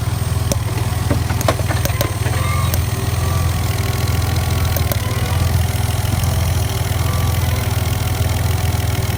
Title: Ford cougar popping noise